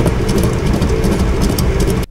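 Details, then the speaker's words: 1996 Toyota Tacoma: heavy, rolling low roar like a passing train under the truck, first mistaken for a wobbly tire; a dead rear wheel bearing, replaced. "so that wobbly tire is not a wobbly Tire it's actually a dead wheel bearing"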